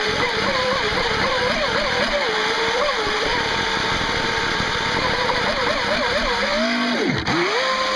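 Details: Jet boat running on a 3S battery; rusty, worn motor bearings after taking on water and not being oiled, then oiled, leaving it a little slower and sounding awful: a rough, warbling, gritty whine wavering with throttle over the pump noise.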